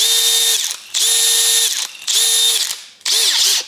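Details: Makita DDF486 cordless drill: repeated one-second trigger pulls, each a clean high whine with smooth spin-up and coast-down, no grinding; drill runs normally.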